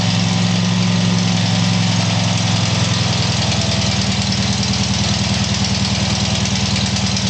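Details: Tiger-1's engine started after rebuild: steady low thumping idle at an even beat, settling after start, no misses or metallic knock; normal idle.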